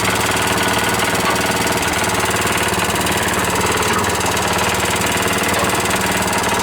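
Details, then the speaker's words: New single-cylinder engine on a concrete mixer, started from choke position: loud, steady chugging at constant speed, no misses or knocks; owner thinks over-oiled air filter is blowing oil when revved. Normal running. "Oh yeah! Yeah! Man, it sounds good. Yeah! God, that sounds good. That's awesome!"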